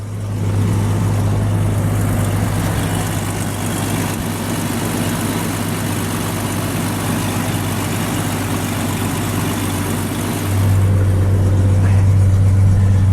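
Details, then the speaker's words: Jeep Cherokee XJ cold-started in January snow after sitting over two months, started once the battery had charged. Even low idle rumble with a slight rev step near the end, no knocks or misfires; check engine and battery lights are lit. "cool yeah I started right up sounds like an XJ"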